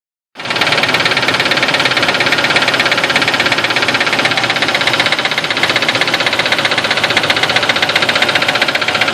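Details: 2002 Nissan Xterra, non-supercharged, idling after replacing plugs (Bosch double platinum), wires and serpentine belts; fast light tapping about four per second; owner suspects wrong plugs or knock sensor.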